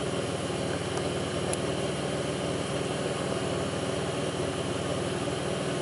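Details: 2002 Pontiac Grand Prix 3800 V6 at idle, no check-engine light, alternator overheating; faint intermittent thumping pulls the idle down. Faintly uneven low pulse with occasional irregular beats over steady engine noise: rough idle, cause not pinned down.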